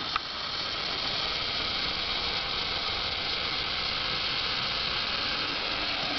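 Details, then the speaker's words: Chennic DC-to-DC converter (replacing Vicor MegaPAC setup) on EV pack around 177.7 V, outputting about 13.5 V, makes an odd steady bubbling/hissing noise under load with power steering pump and lights on; unit notably hot to touch, cause unknown. "dtdc converter does work but makes a weird hissing noise"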